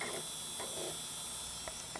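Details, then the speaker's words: Dell Precision 340 (Pentium 4) optical drive seeking repeatedly with irregular ratcheting clicks and short whirring bursts while struggling to load a Windows XP install disc during an OS reinstall; the drive may be faulty, cause unclear. "I don't know that sounds like that drive is really struggling well that's irritating"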